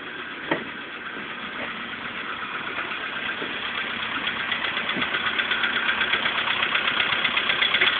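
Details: VW Polo Sedan engine at idle before piston group replacement: a fast, fairly even light knock of about four per second that grows slightly louder. Cause unconfirmed.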